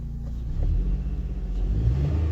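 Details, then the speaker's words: 2005 Honda Odyssey with a dozen stored codes (EGR, variable cylinder management stuck on, evap, misfires); deep rumble, revs climb slowly with no crisp pickup, cabin shaking in reverse. Owner links it to VCM sticking on: sluggish throttle response. "response I've got no throttle response very slow so I don't know what's going on there"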